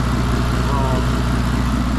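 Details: Modified turbocharged car with header wraps, warm after about 10 minutes running, following oil leak fitting repair: steady, even low idle with no skips; healthy, though a faint possible hiss of unknown source was noted.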